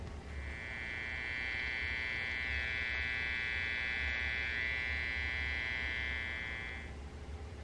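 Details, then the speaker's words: Custom Halloween-themed guitar with self-wired electronics after switch wires were swapped; harsh buzz with thin high whine that grows progressively as the tone knob is turned up, clean when fully down; suspected bad ground on the tone pot: static buzz from tone control. "basically the tone it sounds great when the tones turned all the way down but if you turn the tone up even a little bit as it goes it gets progressively more staticky"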